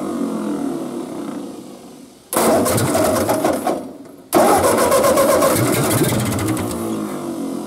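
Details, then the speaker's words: Ford 8N tractor that sat 7 years in a field, on a different battery taken from a truck: two bursts of brisk, even cranking, much faster than before, but it never catches; owner suspects a gummed carburetor with a stuck needle. "let's uh hook this thing back up and see what we got this time spins a whole lot faster"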